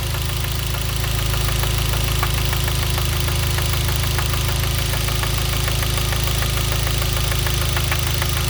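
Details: Genesis 2.0T at steady idle with a sharp, regular rod knock of about three per second; a poorly made oil pump starved lubrication and spun a bearing, with no oil light or limp mode.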